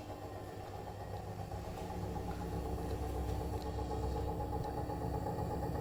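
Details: Brand-new Bosch Serie 4 EcoSilence washer, technician-installed, transit screws removed, balanced: spin from about 400 to 1400 rpm, loaded or empty, rising hum with rough warbling roar as drum speeds up, brushless motor quiet; drum noise, cause unknown.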